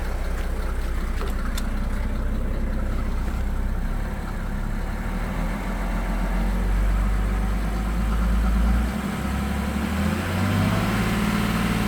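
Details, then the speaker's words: 1987 Mercedes 300SDL W126 OM603 diesel, during diesel purge: steady, even idle with only soft, light clatter and no harsh knocking; much quieter after the purge. "Sounds so good. So look how quiet it sounds now."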